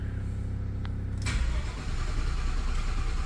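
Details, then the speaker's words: Engine cranking without firing in flood mode (gas pedal held down) after an oil filter change, to fill the oil system and filter instead of pre-filling it; starter turns the engine over evenly, about three turns a second, without catching. "it will crank and crank and crank and crank."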